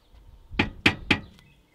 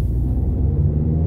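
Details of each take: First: Nissan Primera P12, rear noise after a 400-mile trip; muffler shaken by hand: three sharp metallic knocks about a quarter second apart. The muffler moves too much and its hanger arm strikes nearby metal. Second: Nissan Primera P12 on a road test through a roundabout after the exhaust noise was fixed: steady low road rumble, with no metallic banging from the rear. The exhaust is quiet and secure.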